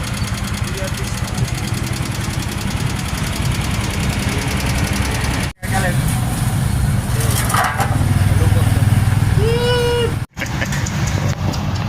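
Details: Motorcycle idling with an uneven knocking tap through the low engine note, about three per second; the knock's source is not pinned down.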